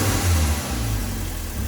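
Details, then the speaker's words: Seat Leon petrol four-cylinder after changing water-damaged spark plugs to NGK BKR7EIX iridium, heard from the rear: even, steady idle with a soft blip, no stumble or missing beats; normal idle, misfires gone. "listen to the back it's a lot easier to hear misfires from the back especially with these noisier engines as you can hear just kicking away nicely nice and smooth that's what we like to hear"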